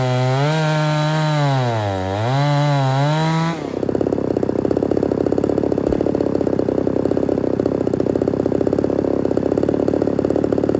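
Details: Ported Homelite Super XL-130 chainsaw on its final test run: rapid rising and falling revs, then drops to a steady, even, rich-burbling idle without stalling; normal idle, oil and running good.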